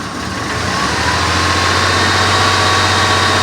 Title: Blazer running with rough idle